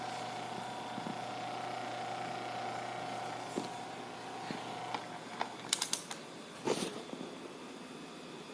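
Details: Asahi PF 620 electric fan running with a steady hum and buzz, broken by scattered light rattles and clicks. Fan buzzing and rattling.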